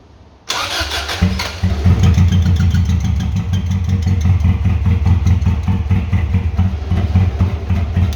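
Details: 1996 Subaru WRX that sat outside for 7 years (rusted fuel tank, no oil), with fresh oil and filter, new fuel filter, original spark plugs: catches after brief cranking, then a lumpy, stumbling idle.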